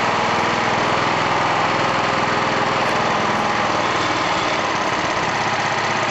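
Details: Old BSA 220 single-cylinder stationary engine from an estate sale, in fantastic condition: it putters along at a steady, even beat with no knocks or misfires, running normally and healthy.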